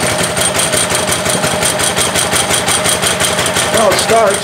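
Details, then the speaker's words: Ryobi pressure washer with Honda engine, about a year old, no-start after off-season (suspected carburetor gummed by old ethanol fuel): just started, uneven wavering patter, runs a little rough at first, cause unclear. "seems like it's running all right so ran a little rough at first um i'm not sure what that is"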